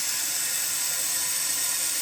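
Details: Kohler toilet with a flush canister running nonstop: steady high hiss of water trickling without stopping, as a worn flush canister gasket lets the tank leak into the bowl.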